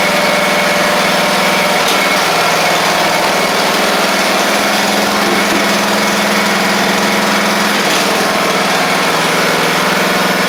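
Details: Craftsman riding mower under repair (broken deck spindle, bad-ground starter click), restarted after an oil check showed the level right at the add mark, before the deck is refitted: a steady, even mid-pitched drone with no hunting or missing, so normal idle.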